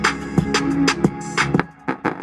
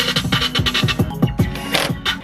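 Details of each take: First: 2012 Honda CR-V passenger front door speaker, bulging cone, played on music: distorted, buzzy, with flabby, rattly beats; the speaker is blown and its cone suspension has failed, to be replaced. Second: 2012 Honda CR-V passenger-side door speaker, newly installed Pioneer replacing one that made funny noises, played before screwing in the panel; clean full music, crisp beats, solid bass, no buzz or rattle: normal speaker playback.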